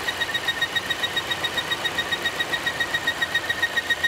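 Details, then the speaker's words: 2016 Volvo XC90 idling with a loud high thin chirping whistle pulsing about four times a second, code P0171 lean; failing PCV oil trap leaking vacuum, noise stops when oil cap lifted; fix is replacing the oil trap. "you should be able to hear the chirping maybe even like to confuse an accessory or belt noise"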